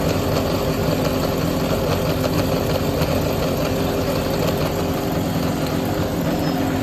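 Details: Yamaha XJR400 (4HM) inline-four complete engine assembly, compression tested, no abnormal noise or white smoke, runs smooth and even with a steady beat and no knocks, ticks or rattles; healthy normal running.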